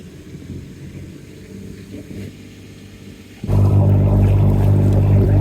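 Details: Boat engine at 2000 rpm after the raw water pump was replaced and warmed up, with no leaks found; a quiet rumble jumps to a strong, steady, deep drone with an even beat, running smoothly.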